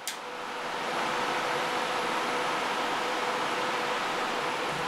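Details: Cryptocurrency miner after control board replacement, first power-on with fans outside the case: fans spin up quickly to a steady even whoosh, no rattles, grinding or wobble; normal fan running.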